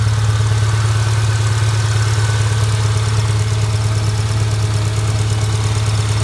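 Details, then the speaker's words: 2000 Subaru Outback, 280,000 miles, at idle: light ticking about two per second over the engine note; owner suspects sticking lifters, unconfirmed. "I noticed a clicking sound of research on it and um people have been having with problems with sticking lifters"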